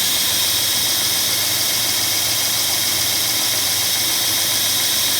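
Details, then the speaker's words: 45-year-old Burr King 2x72 belt grinder, modified with added pillow block bearing, 4.5-inch pulley and linked motor belt replacing rubber belt, owner imagines louder than stock: steady even hiss and whir, no knocks or surging; normal running, belt tracks stably. "And I don't know how loud it's supposed to be normally if you had a new one, but given that this is not the original configuration, I imagine it's louder than a stock one is."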